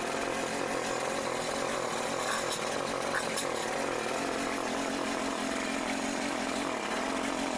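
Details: Troy-Bilt TB554 lawn edger just started after belt replacement (35.75-inch belt): a steady, high-pitched buzz holds even speed with no misses or belt squeal; running smoothly.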